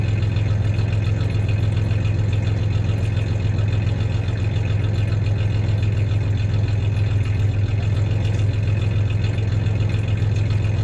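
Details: 1993 Ford Ranger 3.0 V6 idling then a little rev; low steady idle with faint irregular stumble, slight misfire; occasional light clanks are loose tie-downs in the bed, not the misfire.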